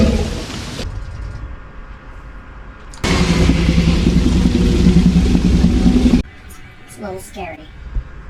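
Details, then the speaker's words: Airstream trailer fresh water pump running: harsh buzzing growl with fast rattle, three or four beats a second; loose pump vibrating, with a failed internal valve causing fresh tank overflow on city water; replaced. "the problem is with our water pump for one here's how it sounds when you turn it on"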